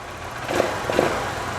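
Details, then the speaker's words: Motorcycle with electronic fuel injection (IAT, TPS, MAP sensors) started before sensor tests: steady, even idle with a couple of light blips, no knocks or misses; engine operating normally. "Vamos verificar quanto é o funcionamento do motor. O motor está operando 100%."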